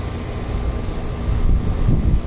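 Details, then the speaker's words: Ameristar 4-ton AC outdoor condenser in 106F heat after replacing a failed Genteq capacitor with a Mars 60/5: steady low hum with fan rush, even, no rattles or buzzing; cooling the house, running normally. "Yep, it's already pulling a bunch of heat out of the house. That's good."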